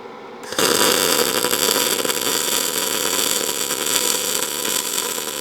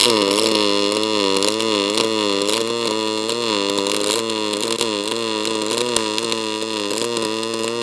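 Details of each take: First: ArcCaptain MIG 205 MP in short-arc MIG mode on chart settings. A harsh crackle with irregular pops instead of a smooth hum, leaving a humped bead; amperage fine but wire feed speed slightly too fast. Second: ArcCaptain MIG 205 MP in pulse mode, on the soft side of the scale around 21.5: steady, fast buzzing arc with an even pulse and a few crackles, no sputtering; normal pulse MIG arc.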